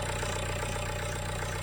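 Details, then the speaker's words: Renault at idle: constant whirring drone over the engine note, persisting as idle speeds up; owner suspects cam belt tensioner, cam belt job to be outsourced. "Right, the noise is still there. So it sounds awful like it might be a cam belt tensioner."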